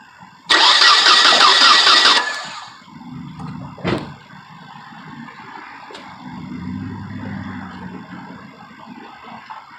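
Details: Nissan Altima with crank no start after refuelling, no spark found: brief cranking under two seconds with no firing, rotor possibly not spinning; bad distributor rotor.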